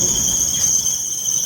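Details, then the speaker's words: Hyundai i10 1.1 CNG running on petrol with air cleaner removed, owner reports misfire, backfires, vibration and poor pickup; steady piercing high-pitched squeal over faint engine hum from a slipping drive belt. "तो यह belt आलू से उसका noise है"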